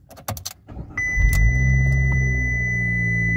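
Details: 2015 car, cold start at about 38–40°F after sitting two weeks and a battery restore-mode charge: short crank catches quickly and settles to a smooth, steady idle under a dash chime, no check engine light; normal cold start.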